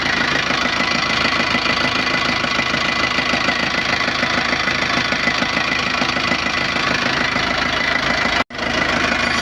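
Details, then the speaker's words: Nissan Panther diesel just started after a rebuild with new NPR liners and original piston rings, replacing three scratched liners and pistons: an even idle clatter, still slightly shaky on first start while running until the idle settles. Normal idle. "Kita running dulu untuk beberapa saat ya teman-teman ya, sampai dia idle-nya langsamnya enak. Ini kan masih agak goyang karena baru start awal."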